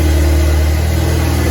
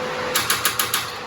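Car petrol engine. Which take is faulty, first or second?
second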